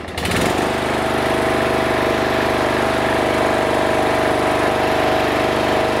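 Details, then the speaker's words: Briggs & Stratton Intek 16 hp single-cylinder OHV engine after carburetor replacement, still warming up, revved up: rough uneven rap under the buzz, harsher at higher revs; pretty bad rod knock. "so that idle is definitely low and this guy's got a pretty bad rod knock"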